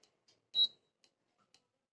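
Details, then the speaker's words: Induction cooktop with an aluminium pan on it beeps briefly about every 1.5 seconds; it cannot detect the aluminium cookware and will not heat. "आपको सुनाई दे रहा होगा beep की आवाज़, इसका मतलब ये वर्क नहीं कर रहा है।"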